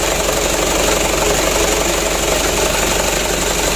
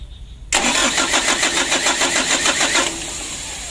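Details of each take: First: Mitsubishi Canter diesel after replacing injection pump plunger for hard starting, before calibration: loud, steady clatter at fast even idle, no misses or stumbles; starts and runs fairly well, idle set slightly high. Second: Mitsubishi Canter diesel truck, roadside: starter churns steadily about three and a half turns a second with no firing; worn injection pump plunger starving fuel; ignition switch also suspected faulty.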